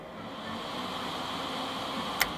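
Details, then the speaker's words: Set of server fans cooling a Fanatec CSL Elite sim-racing cockpit, drawing air around the cockpit. A steady, even rush of air with a high hiss and no ticking, rubbing or wobble; the fans are running normally, just loud. "and those guys had more than enough noise but they also add the kind of cooling like a circular air draw around the cockpit that really cools cools me and everything else off pretty quick"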